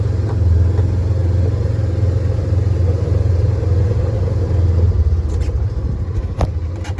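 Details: Polaris Ranger 900XP side-by-side after repair, driven in high gear. Steady low engine drone with no rattle or knock and an even pull; it sounds much better and runs healthy.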